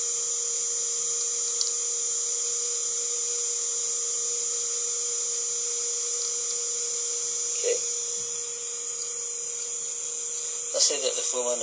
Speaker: Let's say that we hit start again. As you can hear the motor run.